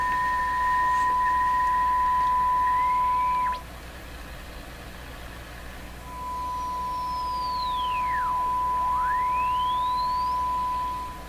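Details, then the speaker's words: Hallicrafters TW2000 shortwave radio on a weak station: a thin whistle swings in and out, swooping down and back up as the tuning shifts. Heterodyne tone, which the owner suspects is the IF self-oscillating. "what's with that heterodyne tone that's swinging in and out here"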